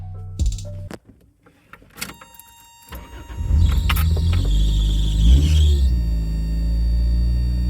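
After some handling noise, the engine catches quickly and settles into a smooth, even idle, running as it should.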